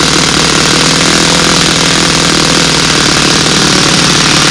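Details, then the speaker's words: New small four-stroke model-aircraft engine on break-in run, at least an hour recommended, plenty of raw fuel and some oil spitting out; loud steady high buzz at moderate speed, running rich and even with no stumbles, normal break-in. "You see we got plenty of raw fuel coming out of there, some of the oil too."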